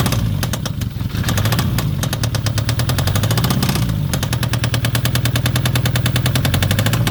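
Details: Citroen ZX 1.9 diesel starting and running, fast uneven tapping over the low rumble that rises with revs; engine knock, cause unclear.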